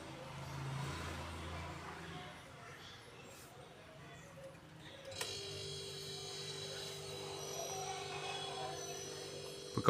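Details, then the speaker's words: 15-year-old LG single-door fridge, compressor run directly through the OLP relay: after a faint click, a low steady hum with no knock or rattle, drawing about 0.8–1 A; compressor is fine; normal compressor running. "இப்ப compressor நல்லா இருக்குது plus ரன்னிங்ல இருக்கு"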